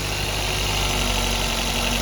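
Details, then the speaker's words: Maruti Baleno just after a winter cold start, no throttle applied: even fast idle hum with steady whine, RPM slowly dropping by itself; elevated revs are normal warm-up. "देखो अब धीरे-धीरे अपने आप कम हो जाएंगे। Race तो ना दे रखी है भाई।"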